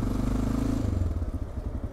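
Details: Honda Dominator 650 single: low, even thump ticking over steadily with no knock; sounds normal now while cool, intermittent engine noise suspected to return when hot, cause unknown.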